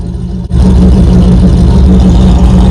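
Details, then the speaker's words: Rebuilt 1987 Pontiac Firebird Formula with a 350/383 stroker V8 and 163,000 miles, after mass airflow sensor and timing fixes: strong, even rumble with no misfire and some lifter ticking. Runs smoothly and healthy. "just quiet down now oh it just sounds nice"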